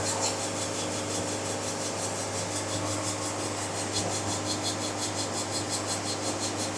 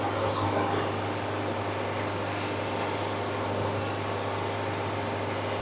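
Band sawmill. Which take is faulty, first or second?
first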